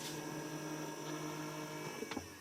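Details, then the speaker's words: 1999 Acura RL, cold engine, key at the second position before a coolant drain. A faint motor hum for about 2 seconds then soft clicks as the heater valve actuator closes when the temperature dial is turned off; normal operation. "you can hear the noise that's the heater closing and now we'll open it up just turn it slowly"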